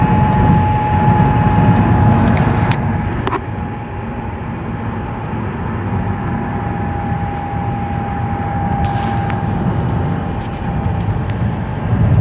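A steady, constant-pitch high whine rides over the low engine rumble the whole time; it is a whine, source not yet pinned down.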